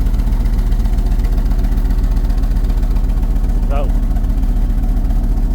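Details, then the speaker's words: Mopar dually pickup V10 at startup right after air filter replacement and throttle body cleaning, poor fuel economy beforehand: loud low idle pulsing about 2.5 times a second with an uneven stumbling beat, one cylinder misfiring, smoothing out shortly after. "Got a cylinder misfiring. It started up pretty good though for what it."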